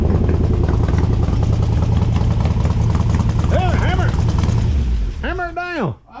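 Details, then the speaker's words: Abandoned 1957 Ford Fairlane 500, 312 V8, run on seven cylinders with one stuck valve left unfixed: deep rumble with a lumpy, slightly uneven beat before cutting out; one cylinder dead. "we were going to try to put that valve in but we're thinking better of it let's run her on seven"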